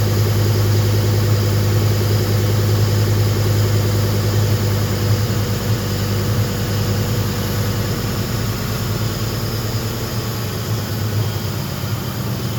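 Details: Car said to run too lean, just started after fitting the idle air control valve with a hand-cut gasket: steady low idle with slightly uneven pulse, about 200 beats a minute; rough idle, cause unclear.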